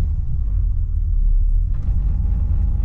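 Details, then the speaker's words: Cammed, rebuilt LS1 SS Commodore, untuned, stone cold: deep lumpy rumble that sags and chops unevenly off throttle at about 650–700 rpm; idle too low, near stalling. "it is going to idle, and it's probably sitting at around about 650, 700 maximum, and it's idling too low. You can kind of hear the chop there."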